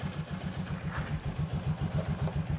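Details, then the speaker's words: Yamaha XMAX 300 scooter after a home repair of a hard-start, stumbling, no-idle fault: revs cleanly, then an even single-cylinder putter of about six beats per second, steady and unbroken, normal idle. "เบิ้ลได้ปกติเดินเบาปกติ[เพลง]งับเดินเบาปกติเลยนะครับ"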